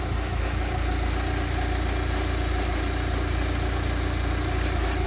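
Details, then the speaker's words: Warm K-Series engine idling after coolant refill with new expansion tank; soft, even pulse around three beats a second, no misses or knocks, "purring like a kitten". Normal idle. "listen to that just purring like a kitten"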